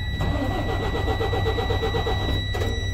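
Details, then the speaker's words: Freightliner Cascadia after installing a push-button start, cranked with the button with the key on; even cranking at about three beats per second for two seconds, engine turns over freely; normal starter cranking. "there you go so uh we're now cranking with the button when we need to"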